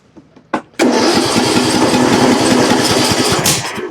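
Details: John Deere LA105 with 74 hours, which ran only on choke, after its Nikki carburetor was replaced with a Walbro: a few cranking puffs, then it catches and runs steady and even for a few seconds before dropping off.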